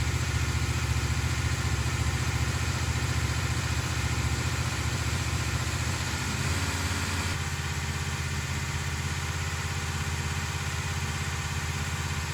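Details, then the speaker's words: 1968 Dodge Charger with a big-block 440, after weeks of valve train repairs: a deep, steady idle with an even exhaust beat and no top-end ticking. The valve train issues appear solved. Normal idle. "After weeks of our endless efforts to conquer our valve train issues, by George, I think we've done it."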